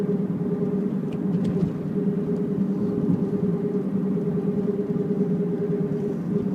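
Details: Mazda CX-7 cruising: a steady low hum with a constant mid-pitch drone under road rumble, a suspected left rear wheel bearing, not confirmed. Droning noise while driving.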